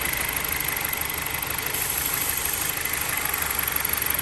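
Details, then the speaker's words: 2011 Chrysler 200 four-cylinder at idle: a steady airy hiss of air being drawn in, and the idle stumbles when liquid is sprayed on the spot. This locates a vacuum leak at a damaged intake manifold gasket. "escucha como jala el aire ahí mis amigos entonces el problema ya está localizado"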